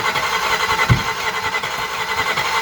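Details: 1981 Camaro with 3rd-gen interior, first start-up on a cold day: lumpy, loud V8 running with an even throbbing beat and no ticking or knocking; engine firing properly on all cylinders.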